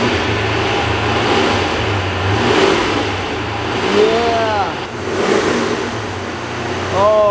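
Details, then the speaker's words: Supercharged C5 Corvette engine revving freely after repair of a nasty knocking noise; first time it could be revved up, previously sounded like it was coming apart. Climbs cleanly through quick blips and settles back with no knocking or clatter; normal revving. "that is nice that sounds really good I wasn't able to rev it up like this before because it sounded like it was coming apart that sounds good now that's what a motor is supposed to sound like"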